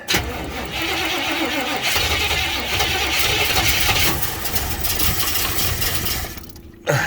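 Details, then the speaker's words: 1956 Chevy 210 with a V8 and automatic transmission, choke held closed: a six-second harsh starter grind with no firing, then it cuts out. It cranks but won't start; the owner suspects a bad starter, which drained the battery quickly. "uh oh really yeah try it again okay man this thing either that starter is bad I mean it drained that battery awful quick"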